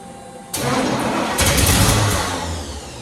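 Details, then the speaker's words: 1968 Firebird, sitting about 42 years, first start attempts with fuel poured into the carb bowl: catches with a sharp burst, flares, then revs sag and die within two seconds; owner suspects ignition, cause unconfirmed. "Took the carb off my car, stuck on it. It would just start, shut off immediately."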